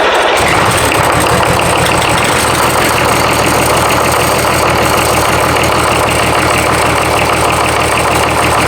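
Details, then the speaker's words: Rebuilt BMW D190 marine diesel, previously seized and sunk, first start with no coolant in the water pump, run under a minute: catches after a brief crank and settles to a steady, even idle; builds oil pressure, no knocking, injection pump working. "So enough to know that we build oil pressure, it's not knocking, and the injection pump is doing what it's supposed to be doing."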